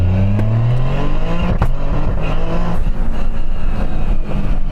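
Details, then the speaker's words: 630 hp built-engine Toyota GR Yaris, 7-speed sequential, hard acceleration in a drag race: brief dip and double bump at the shift; ignition cut and gear throw suspected out of sync, gearbox cable gone slack. "Yeah. It does like a double bump. Yeah. I'll just try again. No, give me one more. So pull your window down a sec. I think the cut and then the throw are out of sync."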